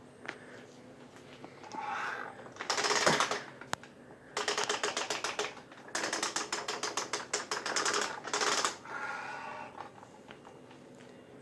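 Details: Kirby G6 or Ultimate G Diamond Edition vacuum with rapid, typewriter-like clicking in bursts from the tech drive transmission; the rear axle gears stay partly engaged when they should be fully disengaged.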